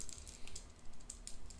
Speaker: I don't know if you can hear that hear that rattling so that's these plus and minus buttons